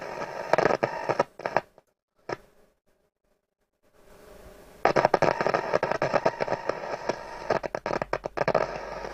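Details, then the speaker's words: Hacker Autocrat RP33 radio with scratchy reception: sharp crackles and scratchy bursts cutting in and out with dead gaps as the tuning is moved; the tuning capacitor plates are touching at the top and shorting. "Yeah, it sounds like a tuning cap shorted right out. So if I just mess with the vanes a little bit."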